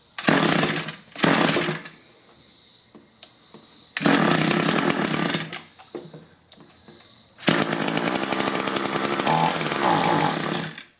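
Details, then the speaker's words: Echo two-stroke hedge trimmer with replaced engine after straight gas burned the piston: revs in short uneven bursts and sags; dies when choke is moved, only runs on choke; barrel carburetor adjustment caps removed for diagnosis. "Yeah, move the choke lever and it won't run. They actually told me they did a hedge trimming job running it on choke."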